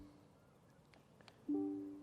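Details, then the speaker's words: MG ZS EV after comfort software update: locking with the ignition left on, key in pocket, still gives two short warning pips; owner notes this alert was not removed by the update. "so if trying to lock it with the ignition on it still does that one pip so now one thing they haven't stopped"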